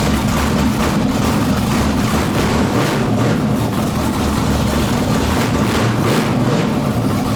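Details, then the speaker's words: Chevy S10 with junkyard LQ9 6.0 LS swap, first start, no coolant, MSD on default settings: loud, lumpy V8 idle with uneven pulses and slight hunting; rough idle, needs tuning. "It runs. It sounds like it's going to be rowdy. Definitely got some tuning to do, kind of stuff to play with it to get it to idle better."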